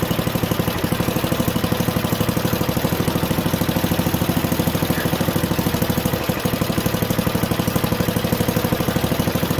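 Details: Junkyard Ditch Witch C99 trencher, old, year unknown, small single-cylinder engine: even putter about three beats a second at idle, no misses or knocks; running halfway decently, though the self-propelled drive doesn't work.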